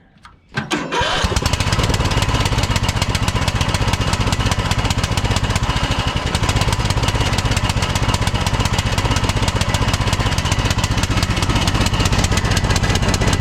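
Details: Troy-Bilt Pony lawn tractor small single-cylinder engine after carburetor replacement and new plug: stumbles on start then lopes unevenly at idle; rough running because the new replacement carburetor was bad.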